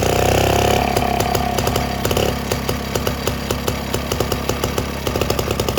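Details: Villiers Marvil two-stroke engine, first start in about six years: high buzz drops to lumpy slightly uneven beat on part choke but keeps running; owner notes little smoke at first; normal running.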